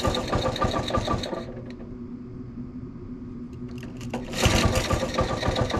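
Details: Honda ATC 90 first start after sitting 50+ years, carburetor sandblasted, points adjusted, valve clearances checked: small single putters with a quick, uneven beat of three or four a second, fades, then picks back up; running normally.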